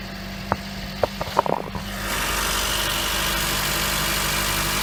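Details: 2007 Honda Fit after replacing the AC compressor pulley bearing (NSK 35BD219DUM): a few sharp clicks, then the engine catches and holds a steady, even idle with no knocking left; repair successful.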